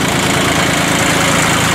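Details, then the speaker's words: 1986 Ford 1910 tractor, 32 hp three-cylinder diesel with glow plugs, 1,325 hours, gear transmission: steady, even idle clatter with no knocks or misses, a healthy-running engine. "Engine runs good, obviously, as you can hear."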